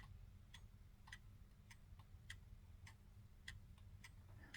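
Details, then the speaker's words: 1930s Garrard English mantel clock before oiling, pendulum swung by hand, microphone close to the movement: sharp light ticks about every half second, faint low hum; escape wheel turning past the pallet, beat adjustment still being fine-tuned. "so I'm moving the pendulum back and forward and you can see the Escape wheel turning past the pallet and if we get the microphone clocks close you might be able to hear it tick"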